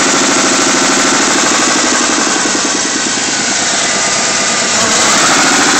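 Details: Ford Mustang 3.2-liter V6 just back from the shop with brand-new heads: a sharp, steady knock about three per second at idle. A deep bottom-end knock, with a spun bearing suspected but unconfirmed.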